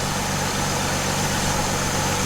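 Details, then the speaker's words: 2008 Chevy Trailblazer at idle after serpentine belt replacement: even steady idle, belt screech gone, faint whir left from power steering pump pulley, owner suspects its bearings; normal idle. "But the major noise, most of the noise is gone."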